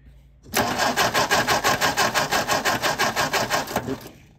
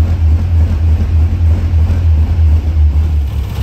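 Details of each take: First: 1957 MG MGA roadster, sitting in storage for many years, first start attempt: starter spins the engine at an even five beats a second for about three seconds without firing; ignition coil wiring reversed and spark plugs fouled. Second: A 1957 MG MGA, started for the first time after years of storage, holds a low, even rumble and idles on its own after the idle screw was turned up slightly, though it still runs a little rough.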